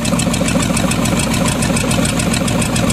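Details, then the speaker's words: Chevy 350 small-block in a Dodge Dakota, had overheated from a stuck thermostat: rough, lumpy idle stumbling about twice a second; pulling the number three plug wire made no change and plugs looked poor, misfire suspected. "the second thing is act like it's was missing so pulled the number three plug wire off and act like it wasn't doing anything"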